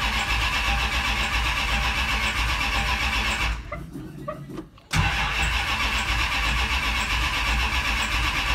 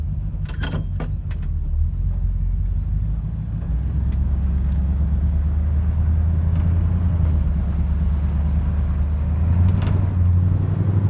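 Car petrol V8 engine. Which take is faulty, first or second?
first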